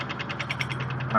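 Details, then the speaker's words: Whirlpool WTW4850XQ0 washer in diagnostic mode spin test, cycle cancelled: quick rhythmic swishing pulses then steady whine as tub coasts smoothly to a stop; normal coast-down. "so I'm going to cancel it slowly Coast to a stop"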